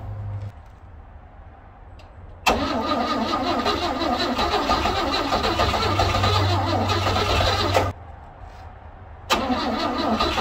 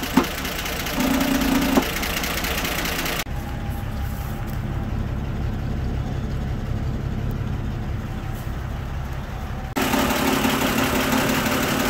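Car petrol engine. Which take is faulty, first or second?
first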